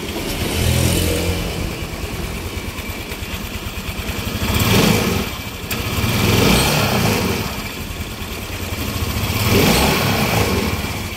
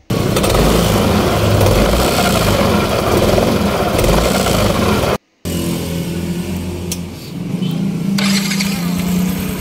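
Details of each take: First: 2015 Yamaha NMAX, after repair: scooter idles and takes several smooth throttle blips with no rattle or grind from the CVT; the earlier noise came from a worn roller housing, and the sliders were replaced. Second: 2015 Yamaha Nmax scooter: loose uneven rattle from the noisy CVT, traced to a worn, sloppy roller housing and sliders.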